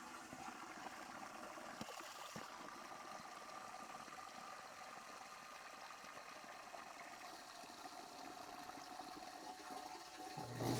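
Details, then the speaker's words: Newly installed Liberty sewage pump with a quiet check valve and 2" discharge line: a steady watery rush with a soft hum and no thud or bang at the valve; running normally with no leaks. "I don't if you guys could tell how quiet that check valve is, but it's very, very quiet. There's no thud or bang whatsoever."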